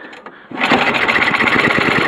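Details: Snowblower after recoil starter riveted back on and carburetor reinstalled, choke on, primed, full throttle: catches on first pull and settles into a quick, even patter; starts and runs fine.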